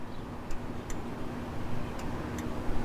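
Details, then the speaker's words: 1961 Chevy Apache, left signal on: crisp ticks in pairs about every 1.5 seconds, and front, dash green indicator and rear lamps all work. Flasher cycles normally. "Oh, even the flasher on the dash works. The green left flasher. I have never seen that."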